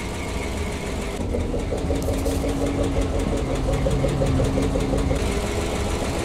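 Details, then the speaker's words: PAZ-672 bus GAZ V8 idling after valve adjustment and valve covers: soft even burble, steady low rhythm, no sharp tapping on top; earlier knock gone, normal idle. "Такого стука, как был, я не слышу. Звук. Мягенький, красивый звук работающего V8."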